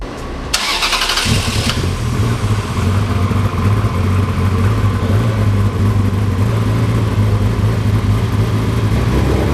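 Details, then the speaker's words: Ferrari 360 Spider, second start after a temporary vacuum-leak patch (first start fired only one bank): cranks, catches, then settles into a lumpy uneven idle with stumbles. Still misfiring; owners suspect 2–3+ coils and injectors needed. "It still does have a misfire. It still needs two, 3 coils easily."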